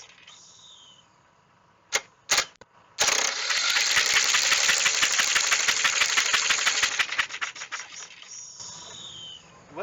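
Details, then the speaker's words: Old Snapper mower's 12.5 hp Briggs & Stratton, previously seized after years sitting, cranked with spark plug out to free it: about four seconds of fast, raspy, slightly uneven starter cranking, roughly three turns a second, engine loosening up. "But remember, spark plug is pulled out of it right now just so things can start to free up."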